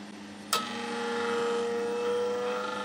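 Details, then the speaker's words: Spindle rotation stepper motor driven by repaired hybrid power module (bypassed/replaced MOSFETs), pulses from signal generator: after a sharp click, clean steady single-pitch tone without crunching; smooth running, previously very crunchy before repair. "sounds an awful lot smoother than it did before. It was sounding very, very crunchy before, but that looks quite happy."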